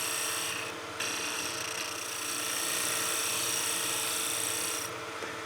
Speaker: And that knocking noise we're getting is just because that piece is ever so slightly out of round and it's kind of kicking that bevel just a little bit.